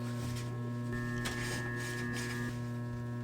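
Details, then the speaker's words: Broan bathroom exhaust/heater fan (NuTone BP28 motor/wheel replacement): steady electrical buzz with constant low hum, no pitch rise; fan fails toilet-paper suction test, motor assembly failing and needs replacing. "so one of the things that you can do is go turn the fan on so you can hear it just kind of make a a buzzing noise it just sounds different cuz something's broken"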